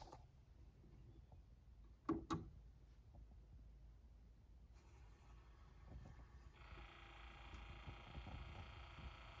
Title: Pioneer PL-L800 - clicking noise